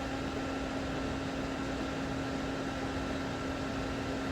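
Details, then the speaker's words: Frigidaire small ice maker, single-phase 115 V compressor drawing 1.5 amps while making ice; steady even hum under the fan's airy rush, no knocking or rattling; normal compressor running. "see that little Shake now there's the compressor 1.5 amps that makes sense"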